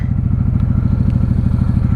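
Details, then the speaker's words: 1995 Honda Shadow VLX 600 VT600CD V-twin on first ride after repairs, first gear at wide-open throttle: deep, even pulses, no knocks, rattles or misses; running healthy. "I've got her wide open. Brakes are working. She sounds delicious."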